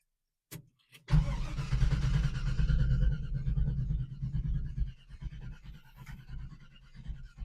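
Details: 1978 Chevy Nova V8 with new glasspack mufflers and relocated exhaust exit, started in the rain: brief crank, catches cleanly and settles into a deep, lumpy, even idle; a healthy cold start.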